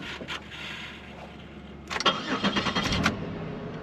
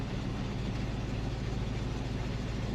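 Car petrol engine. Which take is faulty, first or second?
first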